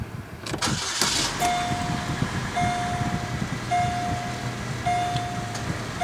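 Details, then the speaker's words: 2008 Pontiac G6 2.4, about 102,880 miles, started right after an oil change and oil-life reset: brief crank, quick catch, then a quiet steady idle under a repeating dash chime with no ticking; a normal, healthy start. "sounds good no obnoxious ticking or anything I think she's ready to go back"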